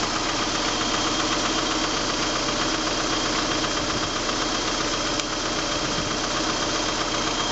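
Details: 1989 PGT engine running: fast regular ticking knock about four per second, steady at this speed; owner suspects rod knock, not confirmed.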